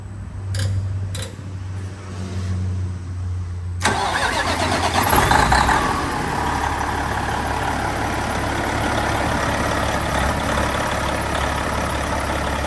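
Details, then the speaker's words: Detroit 12.7 diesel, nearly million-mile engine just overhauled with new liners, pistons, stage 2 cylinder head, bearings, rebuilt Jake heads: a few starter turns, then catches and settles to a steady even idle with no knocks; healthy. "Sounds good. Sounds like an old Detroit."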